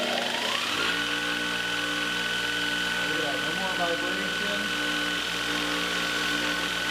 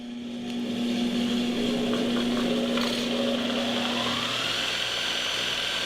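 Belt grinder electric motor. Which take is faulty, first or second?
second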